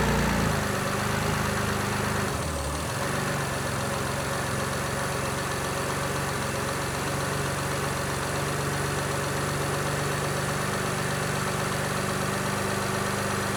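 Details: 1967 Ford Anglia 105E with a Mitsubishi 6A13TT engine, first start after the smoky turbo was replaced. It catches within seconds and settles to a steady, slightly lumpy idle with an even hiss and no knocking; the new turbo is barely spinning.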